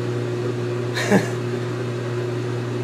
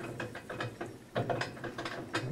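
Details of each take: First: GE Infusor GTWN5050M0WS H.E. washer running empty, drain pump pumping out: a loud, steady low drone with one brief click, louder than the machine itself; operating normally. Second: GE Infusor GTWN5050M0WS H.E. washer running empty, around the rinse stage: irregular bursts of rattling clatter like loose chain links, which the owner jokes is rattling its chains; cause unclear.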